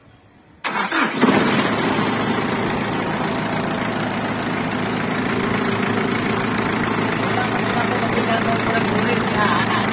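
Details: Ford Everest diesel that would not start, after engine replacement and glow plug work: catches almost instantly and settles into a steady, even idle with light clatter. Normal start and idle.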